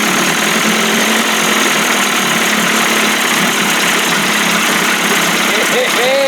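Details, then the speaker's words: 1989 Johnson Tracker 25 hp outboard, first start, pumping water before warm-up: loud, steady buzzing idle with even tone, no misses or knocks; started right up and runs smoothly, carburettor to be adjusted. "runs and she's pumping water it warm up a little bit adjust that carburetor man started right up sounds good"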